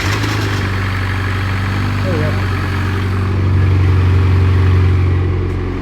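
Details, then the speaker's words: Tuned Mitsubishi Evo X at idle: uneven, weird idle with a light, fairly regular rattle on top, first noticed at startup when the parts went on. The source is unclear and needs checking. "it's idling weird as well i guess i would plug in the math there's right now that is a weird little rattle up actually i heard it for the first time the day that i came to put the parts on when i started it made a sound"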